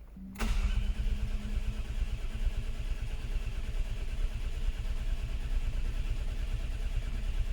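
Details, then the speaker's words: Mk4 Ford Fiesta not started in over 4 years, 12 V at coil but no spark: starter turns over at a steady, slightly uneven rate with no firing; crank sensor shows max 334 rpm with sparse signal, failed sensor. "now the crank sensor will tell me what the RPM is doing on the engine so with it in graph mode like this I can now have a look at the RPMs as I crank the engine"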